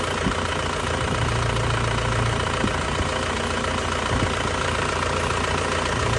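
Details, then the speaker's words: 2002 Isuzu Panther LS diesel, warm idle: even, steady low clatter with no stumbles or surges and no smoke. The engine is dry with no oil leaks and runs smoothly. "tidak goyang masih stabil tidak pincang ya biasanya kalau mesin kurang sehat itu juga pincang ya"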